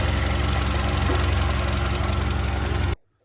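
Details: SsangYong Kyron 2.3 petrol, 69,000 km, idling: rapid uneven knock felt at the thermostat area, resembling timing chain noise but persisting after the water pump was replaced; cause is the belt tensioner damper, not the timing chain or pump.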